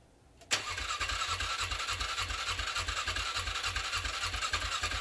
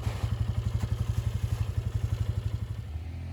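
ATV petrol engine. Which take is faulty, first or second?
first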